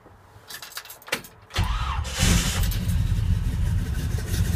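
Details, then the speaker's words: 1971 Chevrolet K10 4x4 short bed, 402 big-block V8, 700R4 automatic converted from four-speed: brief cranking, then catches at once and settles into a steady, even rumble, slight exhaust note; normal start and idle. "starts right up idles like it good sounds [Music] good"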